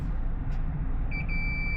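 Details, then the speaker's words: Nintendo Switch board repair, multimeter continuity test on a choke/filter on a donor board before removal: a clean, steady high beep comes on and holds, confirming point A connects to point B, so the choke is good. "point B. So, this is a good choke."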